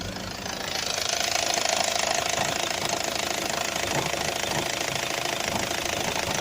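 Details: 2004 Opel Zafira diesel idling, heard from outside near the engine: a loose, irregular knock of about three a second over a steady mid-pitched hum. The cause is undiagnosed.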